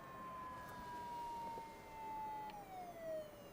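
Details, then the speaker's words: IBM ThinkPad 760 laptop at power-up: thin whistling tone that slides down in pitch over about three seconds, like a siren. The hard drive sounds faulty; cause unknown. "I think I hear the That hard drive, I think that's the hard drive sound. That sounds bad."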